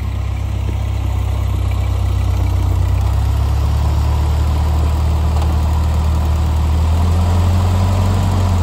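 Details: 1948 Ford 8N tractor on a test drive after rebuild, light load: deep, even engine throb, no knocking, misfire or rattle; normal running.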